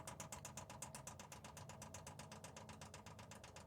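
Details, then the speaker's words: Lavaner Pro 2 kW diesel heater in Sprinter van, priming through new fuel filter/water separator: crisp regular ticking about four per second, tone changes as fuel reaches pump; normal fuel pump priming. "you can hear a change in the pump tone just now that's the fuel hitting the pump so once the cycle ends we're ready to go"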